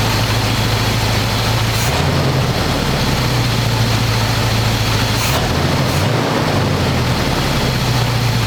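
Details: 1985 square-body 454 big block, 4-speed, sat 20 years, oil and filter changed; after adjusting idle screw that wasn't touching throttle, warm engine idles smooth: loud open-pipe idle, steady even lope, no misfires or ticks. Normal idle.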